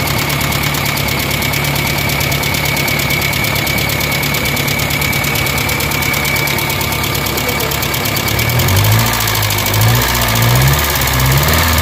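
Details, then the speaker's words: Kia Pride at high idle after start-up with loud, fast metallic tapping about four per second from the top end. Rocker arm hydraulic lash adjusters were found stuck with no play; fixed by removing and adjusting the valve mechanism. "palong palong palong palong grabi ang lakas ng makina guys kinabahan ako pagpa ko pa lang dahil biglang High RPM so ang lakas ng knocking so nakakatakot"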